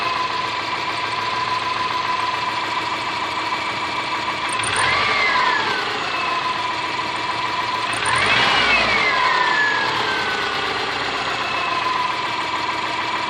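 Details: Subaru Forester SG5 with EJ25 engine: uneven idle with steady rapid tapping, roughly three per second, persisting through two brief revs; engine knock, cause unconfirmed.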